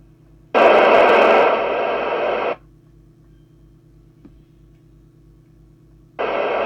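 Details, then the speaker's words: Team TSM404UK CB27/81 mobile CB radio (1990) during service, squelch threshold adjustment with a loosely coupled signal generator: silence breaks into loud hiss, cuts off cleanly, reopens; squelch at full opens just under S9, best threshold set. "Signal generator on. It's coming on just under S9 on full. So if we had it that little bit more, it never came on at all. So we've now got the best threshold."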